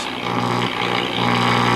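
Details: 1940 Emerson DB 301 All American Five tube radio, filter capacitors checked and correct: loud, steady low hum with a buzzy edge throughout the set, music barely audible on a station; hum and buzz from external antenna connection.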